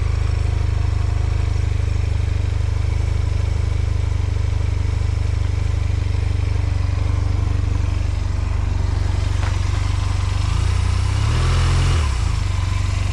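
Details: 2005 Honda Silver Wing scooter, first start after sitting neglected (moss-covered), oil and coolant checked; oil and ABS lights on at start; deep, even idle holding steady, then a short rev blip near the end. Normal idle.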